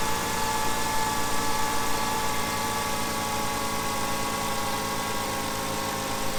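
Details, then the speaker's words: 2005 Hyundai Sonata after new coil packs, replaced because electricity could be heard leaking: steady, even, smooth idle with no misses; the engine runs cleanly. "It's idling really nicely. Sounds like it's doing pretty good."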